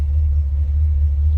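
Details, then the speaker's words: 1955 Ford Fairlane Crown Victoria V8 with dual exhaust, heard from the rear at idle: deep smooth throaty rumble with even pulse; healthy exhaust note. "A little throaty rumble coming out of that V8."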